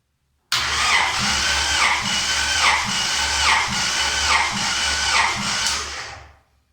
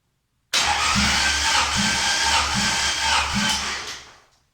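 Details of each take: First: Honda H22 engine, compression test on the last cylinder, reading about 205 psi (cylinder 2 lower at about 145): steady cranking with even compression beats about four a second; healthy compression. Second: Honda H22 engine, compression test cranked via starter solenoid: steady cranking about four pulses a second, no firing; cylinder 2 reads about 145 versus 212 on cylinder 1, low compression.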